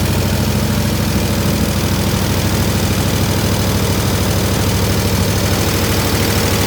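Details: 1967 IH Loadstar 1600 shop truck V8 started in the shop during overhaul, slight tapping suspected from exhaust; loud steady low rumble with even beat about two per second, no misses, smooth idle.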